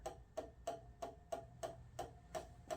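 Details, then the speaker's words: Code 3 emergency light bar, white lights on back side, powered from a battery charger with a wire heating up quickly; sharp even ticks about three per second over faint hum, abnormal repeating click, owner unsure if tripping breaker or flash pattern. "That just doesn't sound right. So those are white lights. But I don't know why if that's a tripping like a circuit breaker, or is that a flash or something?"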